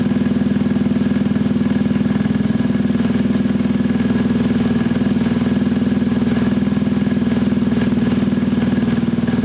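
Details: Scooter from a Gilera DNA 125 / Pulse Force 50cc project (which one is not stated), warming up, automatic choke possibly still on: even, steady putter at about four beats a second, no misses or knocks; owner says running is spot on.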